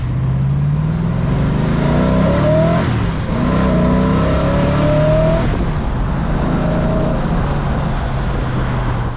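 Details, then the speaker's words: 1971 Mustang with a 347 stroker and long-tube headers, at 18° base and 34° full-vacuum timing: a deep, even V8 burble rising smoothly with throttle, with no pinging under load. The engine runs healthy. "it's not pinging it's running really good so I think I'll leave it right where they said it when they did their Dino"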